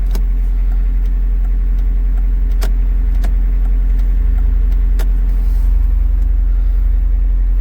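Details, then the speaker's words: VW Lupo after stripping the steering column and fixing the indicator switch: restarted with hazards working, engine idles with a steady low rumble and no repeating dashboard click, only a couple of stray taps; electrical clicking gone. "okay Moment of Truth time everything is back on and buttoned up the batter's back on let's start up and see if we get any noises hazards are working clicking"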